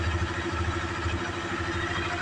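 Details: Honda CB Twister single after fuel-pump refill replacement, tank fitted loosely for first start before throttle-body cleaning: steady low single-cylinder putter with light valve clatter and no pump whine at injection; pump noise gone, idling evenly.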